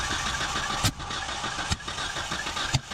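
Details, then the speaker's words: 1977 Datsun 620, broke down: cranks and catches unevenly with a hard pop roughly every second, no steady idle. Distributor locked down, no obvious vacuum leaks, plenty of fresh fuel; owner suspects jumped timing. "Distributor is locked down. It ain't moving, so that ain't causing her popping. Maybe we're just finally picked up some bad fuel or something."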